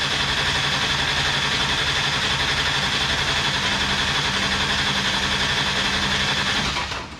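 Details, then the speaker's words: Mustang engine not fired up in a while, attempt three after a stray wire fixed; fast, even starter churn about four beats a second for seven seconds with no firing, cranked to prime oil and fuel before starting. "All right, so we're just getting ready to crank again. Attempt number 3."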